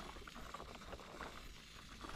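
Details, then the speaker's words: Custom diesel Power Wheels after overheating, temperature still around 200, radiator insufficient, PVC pipe leaking: engine off, soft bubbling, gurgling patter; coolant boiling, leak location unclear. "Something's boiling in there. What is it leaking? Where is it leaking? I can't even tell. That sounds unnatural."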